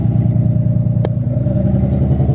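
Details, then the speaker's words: Nissan 300ZX idling after misfire repair (coil pack swapped, fuel injector suspected if not fixed); steady even idle, way smoother, no more misfire. "that's way smoother now"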